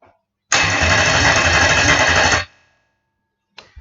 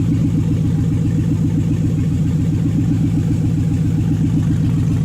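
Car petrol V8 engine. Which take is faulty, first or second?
second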